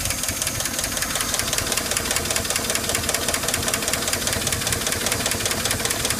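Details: Chevy/GMC 4.8/5.3/6.0 V8 truck idling with valve cover off after cleaner sprayed down pushrod holes: sharp, rapid metallic ticking steadily over the idle, keeping engine pace; dead collapsed lifter that doesn't go away, damage already done.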